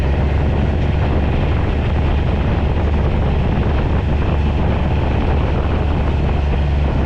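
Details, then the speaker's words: 2011 or 2012 John Deere Gator XUV 855d diesel on a test drive after new motor mounts and foam in the clutch housing, which stopped the clutch rattle echoing through the pipe. Deep, even drone with no clunks or rattles; quiet, like new. "I'm gonna take this thing for a little bit of a test drive now oh yeah it's nice and quiet 's like brand new"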